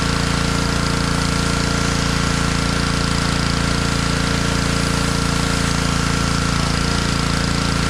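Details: Honda pressure washer that sat all year in a basement, after cleaning water from its carburetor: steady, rapid, even firing at about 3.5 beats a second, holding speed without hunting; normal running.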